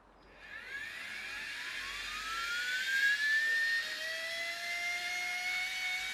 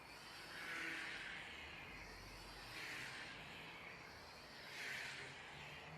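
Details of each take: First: Air Hogs Wind Flyer toy plane with a 2.7V supercapacitor wired directly to the motor, running with the propeller off. A thin whine climbs in pitch as the motor spins freely; a gear is suspected of slipping. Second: Air Hogs toy plane, likely a Wind Flyer, on tethered round-the-pole flight, powered by a large 2.7 V supercapacitor charged from a lithium-ion battery, after a loose motor joint was re-soldered: smooth high buzz swelling and fading as it circles, no rattle; motor healthy.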